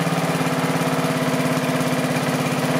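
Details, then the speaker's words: Small lawn mower engine after fitting a 3D-printed TPU carburetor gasket: steady, even slow idle with no air-leak popping, much smoother than with the previous carburetor, then cutting off. "that's slow idle so we're going to hear air leaks are popping that's where we hear it nice and smooth much smoother than the other carburetor was in there"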